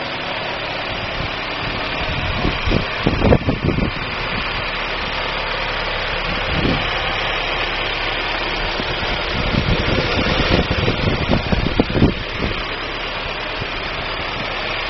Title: DAEWOO NUBIRA 1999-MISFIRE, 2.0L (DOHC)